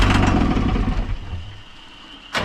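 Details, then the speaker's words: Cummins diesel in a roughly 2002 Snap-on truck that sat about 10 years: starter churns about a second, no fire. Cranks but won't start; checking line pump fuel delivery, no return at the tank, and one wire pulled out. "We just thought that we should see if we're getting fuel out of this line pump, and we're not getting any return at the tank, and one of the wires just pulled out."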